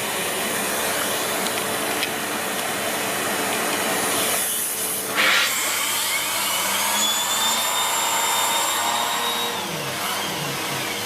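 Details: Siemens Z6.0 Power 2500W bagged cylinder vacuum with its mini turbo brush cleaning a chair. Steady high vacuum roar with the brush spinning evenly and quickly, no drop in pitch under load; normal turbo brush operation.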